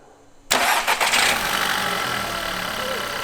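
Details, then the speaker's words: VW Golf 6 with the 1.4 TSI petrol engine, which had an unpleasant strange noise at start-up, after repair: cranks briefly and catches cleanly, then settles into a steady even idle with no rattle. "OK ... sound a bit 'different' since last time ... :-) Bogdan: I think so ... *BEFORE* *AFTER* I like this sound better!"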